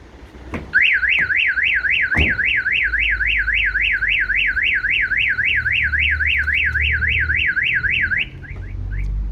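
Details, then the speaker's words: 2019 Vauxhall Movano with a newly fitted Starline E96v2 van alarm, armed and then the passenger door lock picked for entry: loud, fast rising-and-falling electronic siren warble, about three sweeps a second, for seven seconds; alarm triggering correctly. "I'm actually going to set it and I'm going to actually do an attempt on the door. So open the door and you're going to hear it trigger."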